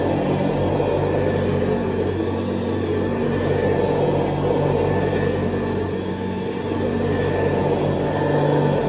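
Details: 1970s Hoover Convertible upright vacuum, recently rebuilt, re-lubricated and cleaned, with new bristle strips and a 12-blade metal fan, on high: a steady, even motor hum at constant pitch, no rattles or scraping; running smoothly, normal.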